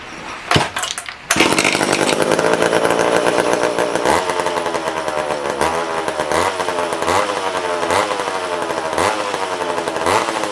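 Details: Old vintage McCulloch chainsaw restarted after long storage: high buzzy two-stroke revving unevenly with light metallic rattle; owner suspects the clutch hitting the clutch cover.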